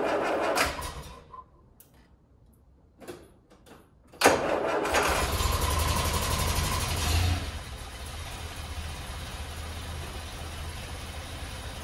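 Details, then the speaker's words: Land Rover Series 3 first start after PCV valve installation: cranking stutters and dies out for a few seconds before the engine suddenly catches and settles to a rough idle, an unusual hard start. "Well, that was weird. That is weird. It's never started like that before."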